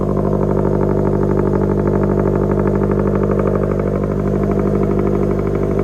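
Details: Supercharged automatic Scion FR-S with front-mount intercooler and blow-off valve, after a dropped rocker arm and broken valve cover were repaired. It pulls well at about 80% throttle, with a strong, even engine note and no misfire, knock or rattle. Normal acceleration.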